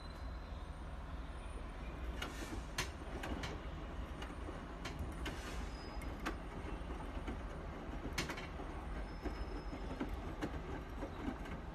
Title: Bosch Washing Machines Weird Noise